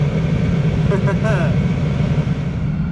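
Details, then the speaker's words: Diesel heater (Vevor-type) just after its exhaust pipe was refitted, testing a viewer suggestion: low, uneven burner roar that surges and stutters; combustion turns unstable as soon as the pipe goes back on, exhaust suspected, cause unconfirmed. "okay as soon as I put the pipe back on it starts acting up interesting very interesting"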